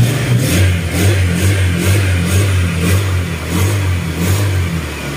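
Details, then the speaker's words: Secondhand Honda Click scooter after crankshaft (sigunyal) repair, seat refitted and radiator coolant refilled, restart test: smooth low drone with gentle regular swells, no clatter or knocking, now quiet unlike the very noisy engine before; oil neglect blamed; normal running. "Tapos testing natin siya ang paanda rin uli. Ayan, tahimik na. Diba? Tahimik na."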